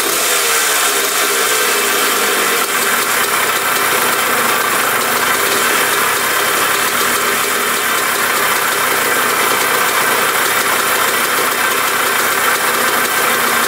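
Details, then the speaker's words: 1980 Suzuki RM125 two-stroke dirt bike, first start on choke at second kick: raspy revving then fast, slightly uneven crackle with rattly overtones; runs a little rough, silencer loud, top end a little noisy, tank leaking gas. "I think that was the second kick she fired up. She sounds a little rough."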